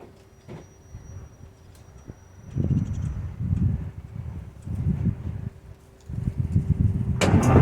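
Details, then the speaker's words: 1948 GMC Silversides PD3751 bus, cold start at 15°C without ether or preheating: slow uneven starter churning in bursts, engine cranks but never fires; owner suspects overnight cold soak in the engine block, quick start spray next. "So there you have it. Gus isn't cooperating. It was still pretty cool overnight, so it's probably still some cold soak in the engine block, but we're going to give it a little shot of quick start."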